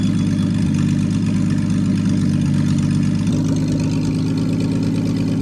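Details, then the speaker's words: Freshly rebuilt Triumph TR6 six, head shaved 60 thou (about 8.4–8.5:1 compression), after first start, warmed up, chokes off, distributor slightly adjusted: smooth, steady hum at warm idle, even beat, no misfire, tapping or hunting; normal warm running. "It was tricky in the beginning when there was no when it was cold, but now it is but once it warmed up and I turned the chokes off, it's running pretty well."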